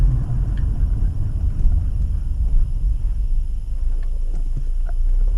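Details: 2016 Acura TLX at road speed around 40 mph: low steady droning rumble heard more from the rear, no clicks or grinding; wheel bearing suspected but noise unchanged when steering; cupped rear tires.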